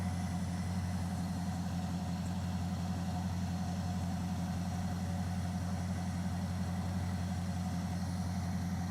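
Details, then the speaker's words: V8 truck engine idling smoothly with an even low rumble and no skips. The earlier misfire is gone after oil was topped up. Smoke followed from the exhaust, which the owner thinks may be residual Seafoam. "No misfire, nothing. Hold on. It's gone."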